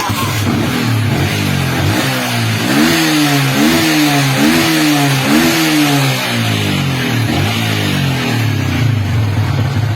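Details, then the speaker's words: Yamaha Vixion that sputtered and bogged, worse with lights on, started after briefly charging the battery: four clean throttle blips rising and falling back to steady idle without stumbling; now revving normally. "Nah sekarang motornya udah normal bisa dibayar-bayar teman-teman ya"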